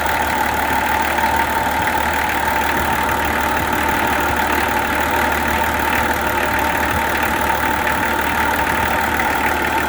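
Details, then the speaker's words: Nissan LD28 diesel in a 40 series Land Cruiser, not run for years, now running: smooth, even diesel idle with steady clatter, no misses or uneven knocks; the engine sounds healthy. "Not only is that running now, but it sounds good. It sounds like a good engine."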